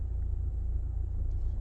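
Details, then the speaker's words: Mahindra XUV700 AX7 automatic diesel after 8 months of all-terrain use, turning left: only low steady road rumble, no clunks, creaks or knocks; front suspension sounds normal. "आवाज़ देखिए कोई आवाज़ नहीं है कुछ नहीं speed और आगे से लेफ्ट लेंगे यहां से"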